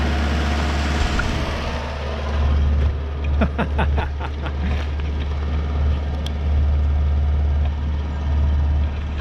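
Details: 1973 Chrysler Galant that sat 26 years, first run on a makeshift fuel feed with the oil light out: a low, even chugging idle, steady with no misses or knocks. Normal idle; the cooling system later leaks water.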